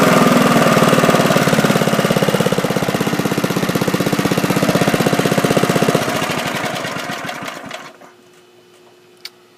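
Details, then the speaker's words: Briggs & Stratton 3.5 hp Bolens mulching mower after new spark plug, carburettor cleaned, blades sharpened, new gas and oil change: single-cylinder fires in a steady, even beat about four per second, then shuts down smoothly; runs healthy. "I sharpened up the blades, put in new gas, and changed the oil, and it runs really well now. Let's hear how it starts."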